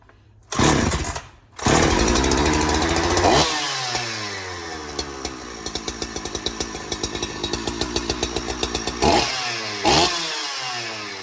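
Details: Donated 2005 Husqvarna 372XP chainsaw, said to have run poorly, fitted with replacement muffler and bolts, on non-ethanol premix: two short bursts, then catches, revs hard and drops to a lumpy, popping idle; runs and oils but still needs tuning.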